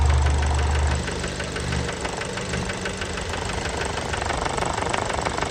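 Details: Fiat Bravo 2 1.4 T-Jet 150 HP, 215,000 km, after recent maintenance, idle recorded close to the engine: loud, sharp, evenly spaced knocking about three per second; worn rod bearings, cause unknown, car scrapped.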